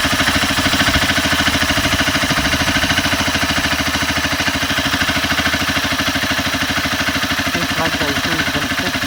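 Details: Honda CBR 250R at idle after tensioner adjustment attempt: fast, even ticking over a steady idle, about three per second, light top-end chatter. Owner suspects loose timing chain; source not confirmed.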